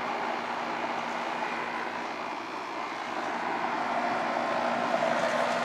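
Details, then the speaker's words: AC condensing unit after replacing bad condenser fan motor, run capacitor (new 7.5/40 reading good) and contactor, 100° day: steady fan rush with low compressor hum, no rattles or surging; fan motor drawing about 1.6 A (rated 2.8); normal running. "right guys she's up running this motor uh I did earlier 2.4 2.6 is rated 2.8 and uh she's running around that 1.6"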